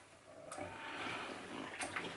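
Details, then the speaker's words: OpenVentilator Spartan Mk1 (~$200 ventilator) running with its compound valve block: soft water bubbling on each exhale stroke over quiet pump noise, venting out the PEEP tube. The PEEP valve is working normally. "You can hear the PEEP bubbling on the exhale stroke, so if we listen carefully,"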